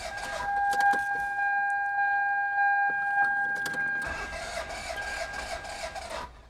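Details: Engine on a GOOLOO A5 jump starter after about eight cranks: a steady electronic whine, then several seconds of starter churning without catching; crank no start.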